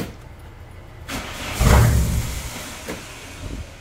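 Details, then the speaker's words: Car with dead, failed MAP sensor (connected harness and vacuum, not solenoid): engine cranks in a short low churning burst and tries to catch but never fires, no start even with throttle; no MAP code stored. "y por más que le acelere no va no va a aprender con ese map porque está bien madreado"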